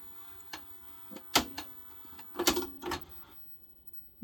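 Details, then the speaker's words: 1982 Panasonic NV 366 VHS recorder; fast forward and rewind work but are noisy: sharp clicks and clunks, a pause, then the motor whirs up as the mechanism fails to lace the tape. "so the basic mechanical seem to work is it it's not lacing up properly"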